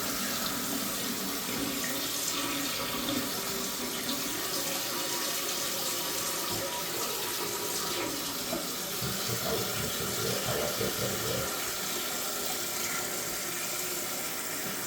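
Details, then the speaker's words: New toilet fill valve, installed with a new flapper and float adjusted below the overflow, refilling the tank after a test flush: steady, even hiss with no surging or sputtering as water reaches the desired level; normal fill valve refill. "Right. So now the water's filling back up at the level I would like it to."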